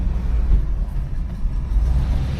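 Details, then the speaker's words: 1979 Cadillac Coupe DeVille V8: low, smooth, even idle rumble, nice and quiet, with no ticking, no exhaust leaks and no belt squeal; healthy engine. "Motor sounds good, nice and quiet, no exhaust leaks, no ticking. And what else? No belt squeal at all, so sound pretty solid."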